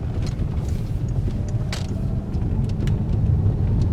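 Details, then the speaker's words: Peugeot 3008 THP on a road test after the suspension repair: steady low road rumble with no knocks or clunks; the earlier suspension banging is gone. "encontrei galera local livre de barulhos é a batucada que tinha suspensão e sumiu"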